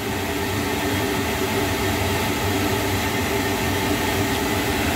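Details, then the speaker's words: Lochinvar boiler after blower motor and housing replacement (old bearings going bad), flame lit and firing: steady even fan roar with constant hum, no bearing growl or rubbing; normal running, no adjustment needed. "Cool beans. It doesn't look like I'm gonna have to adjust that. It's just gonna work. That's the way I like it."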